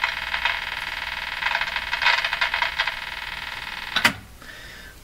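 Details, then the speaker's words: Canadian Westinghouse Model 577 tube radio: scratchy, crackling bursts over hiss as the dial turns. The owner suspects DC flowing through the tuning capacitor, so its rubbing contacts make and break; the cause is unconfirmed. "so what I think is happening here is I think there's DC trying to run through this this capacitor and as you as you turn it and the contacts kind of rub a little bit there there's a little bit of a Makey Breaky thing going on there"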